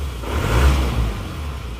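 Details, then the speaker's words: Car engine started cold at 43°C, engine still original, brought in for heavy smoking: the idle is low and uneven, with the revs too low and the engine shaking hard. This is a low rough idle on cold start. "ya rpm-nya terlalu rendah Jadi goyang-goyang banget ini"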